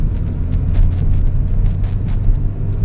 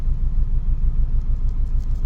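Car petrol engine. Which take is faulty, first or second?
second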